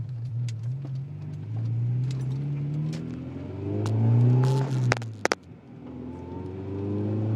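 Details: Honda Integra: engine rises and falls while sharp clunks sound mid-turn when steering; source of the clunking is unknown.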